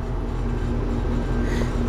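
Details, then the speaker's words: Residential AC condenser compressor running, suction pressure climbing to about 120: heavy steady hum with strained droning under load; compressor labouring, suspected clogged piston metering device or liquid line dryer restriction. "there is no reason why that compressor should be doing that tells me either my piston or my liquid line valve is clogged"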